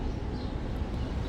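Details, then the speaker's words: Toyota RAV4 power liftgate, opened remotely: a low, rough groaning grind runs steadily as the gate motor drives. It comes from one liftgate strut, which has abnormal play and is worn and faulty; replacing the struts as a pair is suggested. "this is coming from the struts. I think this is worn."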